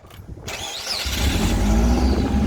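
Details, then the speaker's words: 1996 Subaru Forester S/TB, up on stands, first start; short crank, quick catch, then smooth, even idle with no knock, stumble or misfiring; engine seems healthy. "But yeah, we've got it running. It sounds sweet. There's no Rodney. No Rodney. No Uncle Rodney. So yeah, the engine seems healthy enough. I could do a compression test on it, but it seems to run fine. Didn't hear any misfiring."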